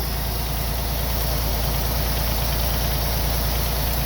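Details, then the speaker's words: 1987 Chevy Celebrity Eurosport 2.8 V6 started after sitting 3 years: even idle, runs smooth, with a light steady tick of about three per second, mild valve train noise. "It's got a little valve noise."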